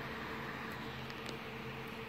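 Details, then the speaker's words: Replacement 500 GB laptop hard drive, taken from another HP, installed in an Acer laptop that froze on the splash screen: steady soft hum, no squeaking like the previous drive; normal operation. "so I got the hard drive out of this one since uh the home was a little too squeaky for my taste you can hear this one here it sounds pretty sweet"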